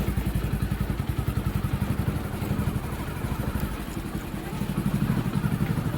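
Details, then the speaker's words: Hero Passion Pro after clutch plate replacement: even single-cylinder thump about four beats a second, pulling cleanly with no rattle as clutch takes up; the earlier grinding on clutch release after gear changes is gone, running smooth. "अभी वैसा कुछ आवाज नहीं कर रहा [संगीत] है बिलकुल स्मूथ चल रहा है अभी कोई दिक्कत नहीं है बढ़िया चल रहा है"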